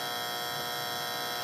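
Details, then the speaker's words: Monster Cable HTS 1000 eight-outlet surge protector, about 5 years old, plugged into a 110 V outlet: a steady, loud electrical hum with a harsh buzzy edge that persists after unplugging and replugging. "we're going to hook it up to a regular 110 outlet here's the plug and you can already hear it humming"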